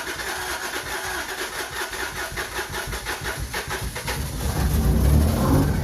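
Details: Subaru SVX after swapping in a different ECU, previously crank-no-start: steady rhythmic cranking for about four seconds, then it catches, picks up and settles into a running idle; starts normally.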